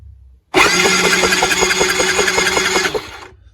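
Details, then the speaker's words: Yamaha Raptor 90 ATV (scooter-style GY6-like engine), non-running, engine not seized; brisk, even cranking pulses about three or four a second with no irregular kicks, with compression and good spark confirmed and timing sounding right; normal cranking. "So I know that this has compression and spark, and the timing seems to be right, just by the way it sounds."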